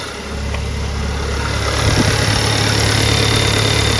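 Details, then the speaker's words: Engine after newly installed timing chain, about two weeks later; starts and settles into a smooth, even idle with steady hum, no ticking or metallic pulsing; noise traced to a roll pin against the tensioner bracket; normal idle. "it seems all quiet in here and quite quiet out here well all be that's fantastic news I was quite nervous about this that's the way it should sound"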